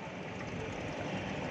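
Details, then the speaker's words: Bottom-load gallon water dispenser pump running and filling again after being switched off and drained to restore it. Even buzzing rush with low vibration, no stutter or squeal; hose vibrates at first. Normal running. "Oh ya denger ya suaranya ya sedang ngisi ya"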